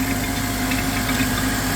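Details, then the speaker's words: 2004 Honda Element salvage car, jump-started on first start: steady, even idle with a smooth low hum and no knocks or misses, power steering audible; normal idle, engine sounds healthy. "all right I'm gonna let it run for long but it is running and this sounds good"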